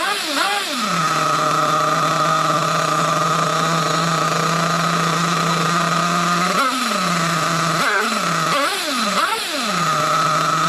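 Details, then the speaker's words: Nitro RC Trophy buggy just after low-speed needle adjustment: high buzzy tick-over holds, then blips rise and sag back down and the idle won't settle; owner unsure whether slightly rich or lean, suspects the low-speed needle. "Still ticking over a bit. Oh, no. It's dropping down a bit."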